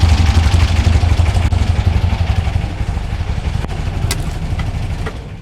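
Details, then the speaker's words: VW Beetle (1964/1967) flat-four with newly installed dual EMPI carbs, after syncing and adjusting, before timing-light tuning: low, even putter at slow idle, steady with no misses; sounds good, might bump idle up slightly. "Might bump up the idle just a little bit, but it sounds good right now."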